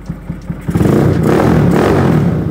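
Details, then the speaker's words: Rebuilt Yamaha Scorpio in jep/bobber style with electric start: a few blips then a deep, even rev that rises and holds without rattles or misfires; exhaust note is normal, neither too loud nor too soft. "jadi masih terbilang normal aja enggak begitu keras dan enggak terlalu halus"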